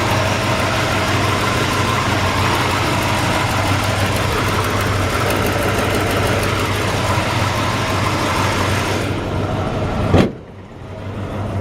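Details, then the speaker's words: 1961 Chrysler 300G with its original engine, after a frame-off restoration, tune-up and carburetor cleaning. Smooth, even V8 idle with a steady low exhaust burble and no knocks or misses, then a clean shutdown: normal idle. "go ahead and shut it back off let's see if we can hear the exhaust sounds nice"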